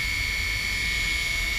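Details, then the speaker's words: Old 3D Robotics Iris+ drone armed without props after satellite lock, four motors on throttle; steady high whine at slightly different pitches, smooth, no grinding; motors spin freely and work. "We got 4 motors. We got throttle control. You can hear the motors all spinning different, so it's working. Good."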